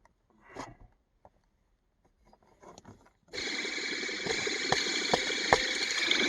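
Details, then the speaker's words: Old belt tensioner pulley removed and spun by hand gives a dry, gritty whirr with faint regular ticks: the bearing is worn and failing but not yet failed. After replacement the engine is quieter but still loud. "i've heard worse in my life for sure i mean it wasn't it wasn't failed but it was a failing it was getting old"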